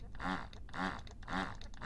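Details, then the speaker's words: Medela Swing breast pump after repair (apparently only a blown fuse), at likely maximum suction: soft, regular pumping pulses about twice a second, each a smooth whoosh, even and steady; working normally. "that's probably that's probably Max now can really hear that so let's it's I think it's still going to be very very similar yep no drama but it certainly increases the uh suction on that thing"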